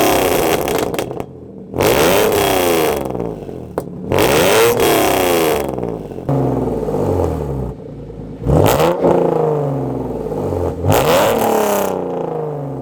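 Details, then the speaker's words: Hyundai Genesis with added headers and H-pipe, revved repeatedly toward redline: sharp revs turn harsh and raspy near the top; rasp reduced at 3,000–4,000 rpm but still present at redline, not fully gone. "like i've said it guys it's still there it's not 100 gone for now i'm gonna leave it like it is"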